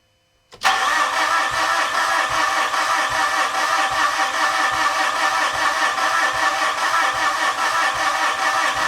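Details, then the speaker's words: 2013 Mitsubishi Fuso FG diesel: steady starter drone, even compression pulses about two and a half a second, never fires; cranks, no start, owner suspects the rail is returning fuel so no pressure builds. "Like not even trying to start. Well, that's disappointing, but here's my theory at this point."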